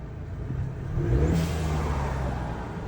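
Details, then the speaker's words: 2023 Chevy Silverado 1500 2.7 high-output turbo, just after blow-off valve install, sound matting removed, hood half open: revs rise with whirring turbo whistle that falls away as engine idles down; turbo spooling normally. "Just waiting for her to idle down first. There we go. Heard the whistle come down."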